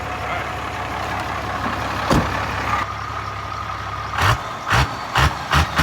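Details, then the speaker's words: Diesel truck, 12-valve engine, automatic, pulling in second gear: drones under load then breaks into uneven surges and pops; suspected lack of fuel or fuel pressure, running lean, not confirmed; engine stumbling under load. "it makes some noises it sounds like it runs out of fuel pressure it does sound like a pop pop yeah I don't think it's getting enough fuel"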